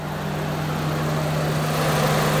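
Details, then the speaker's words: Honda Civic (2001-2005) after adjusting the AC compressor clutch gap so it doesn't rub: steady idle with smooth constant hum once the compressor engages, no rattles or squeals; compressor runs normally. "professor is working like it's supposed to now it's not making any funny noises or nothing"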